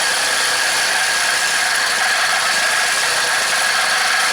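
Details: Craftsman four-cycle mini cultivator after long storage, on a second new aftermarket carburetor: an even, unbroken note at a slightly high idle with no misses, because the throttle is held up. A faint squeak is suspected to be in the clip. Runs healthy.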